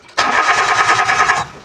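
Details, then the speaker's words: Mitsubishi Mirage that died while driving: the starter whirs for about a second and a half with no firing. The fuel line shows no pressure (about 50–60 PSI expected), so the fuel pump has failed and was replaced. "O, walang fuel. Dapat pag pina-start natin, dapat malakas yung pressure niyan."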